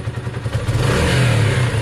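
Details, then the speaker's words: Motorcycle after performance carb fitting (Sinnis SC125 or Honda CB250, unclear), revved in neutral: slight uneven catch and stumble at one specific point as throttle opens; hesitation. "see that hesitation right watch ready see it there you saw it clearly there it kind of stumbles again"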